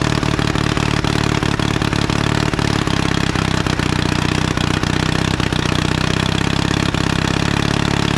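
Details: 1952 Caterpillar D2 crawler, main diesel running after being started by the revived pony engine. Steering clutches are still frozen. Steady, deep diesel chug with evenly spaced firing beats and no knocks or misfires; normal running.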